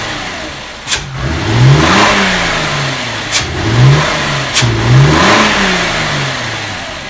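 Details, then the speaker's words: 2001 VW Jetta 12-valve VR6 after replacing the intake manifold shifter rod, which was blamed for clacking at certain RPM: three clean throttle blips rise and fall smoothly from idle, no clack or knock; engine sounds healthy. "actually feels like it's running smoothly sounds good wait for it to warm up before i give it some reds though okay i'm gonna rev it up"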